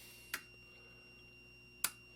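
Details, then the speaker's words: Harris AM limiter during alignment at 20 Hz: R36 sensitivity is turned up, counterclockwise, until it clatters. Two sharp isolated clicks about 1.5 s apart over a faint hum; relay clicking from excessive sensitivity setting. "so we want to turn it down until the thin clatters whoop there can you hear it click"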